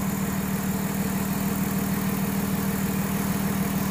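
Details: 2006 Ford Taurus 3.0 L after fixing cylinder 5 misfire (P0305, P0316) with new spark plug, oil-fouled plug from torn O-ring: steady even idle, regular pulse about two per second, no stumble; runs smooth, normal idle.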